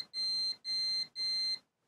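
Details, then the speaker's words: Manta SPK15GO Bluetooth speaker mainboard short hunt, multimeter in continuity mode: three steady high beeps about half a second apart, then silence as if a capacitor charged; continuity beep stopping, owner suspects a capacitor discharging or charging, possibly faulty. "No i Rozładował się A to może być kondensator bo to jest tez na 100% kondensator który się rozładowuje"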